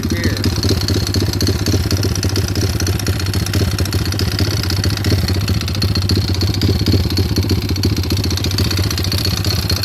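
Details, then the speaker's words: Stolen-recovery pit bike single-cylinder idling with a fast, uneven metallic rattle; owner unsure if rod knock, valves or timing chain, and pulling the clutch makes no difference. "idea of if it's a rod knock, valve, if it could be the timing chain, or what. I'm getting a rattle noise."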